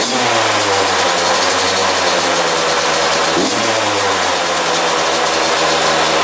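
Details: 2001 Yamaha YZ125 two-stroke after top-end rebuild, new pipe, cleaned carb: fast raspy idle that won't settle; high idle, owner thinks extremely loose intake manifold bolts let it suck in air.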